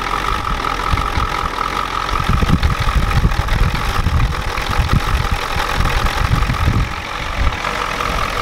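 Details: 1993 Ford F-250 7.3L IDI diesel after sitting since Monday: a heavy, uneven clattering knock over a rough low idle, with wind in the background. The injection pump was checked and confirmed out of time, and the engine smokes heavily.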